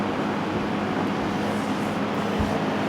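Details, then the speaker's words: 1971 Lakewood/Country Aire P-23 3-speed box fan, three-blade set: steady even whoosh of air over low constant hum, no rattle or wobble; runs smooth and healthy, normal running. "I have the GE version but this motor makes it as you can hear it runs nice and smooth and this fan I had fond memories of seeing it on the floor"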